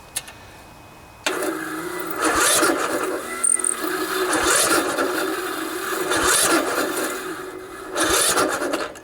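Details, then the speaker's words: 16 HP Briggs & Stratton single-cylinder OHV riding mower with new, fully charged battery still hard to start; slow, labored, uneven cranking with starter dragging, never catching; likely cause is valves needing adjustment. "it's just really tough it's struggling so when you have a situation like that nine times out of ten if you've made sure that the battery was good and that the solenoid was good and your starter motor was good nine times out of ten the problem is that the valves need to be adjusted"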